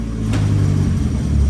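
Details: Nissan S15 on the lift with a newly fitted gearbox: a smooth engine rumble with a light click as it drops into gear and no grinding or whine; the gearbox works fine.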